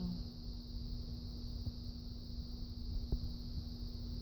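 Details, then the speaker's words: Washing machine after a safety pin jammed in the drain pump was removed: low, steady rumble with constant hum, strong enough to shake the camera, no knocks or stalls; normal spin cycle. "yeah that sounds like a washing machine again holy crap it's shaking the camera"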